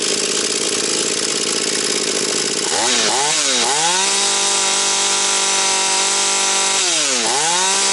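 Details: Husqvarna 240 chainsaw after carburettor adjustment (mixture screws set leaner): high, steady buzzing scream near 11,500–12,000 rpm at full throttle with two brief dips and recoveries; smooth and even, well set.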